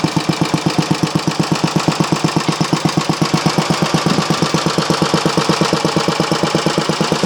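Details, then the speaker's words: Briggs & Stratton Model A engine primed with a squirt of fuel; quick, even single-cylinder beats at a steady rate with no misses or knocking. Normal running. "okay keep going run so it looks like gonna get three out of it"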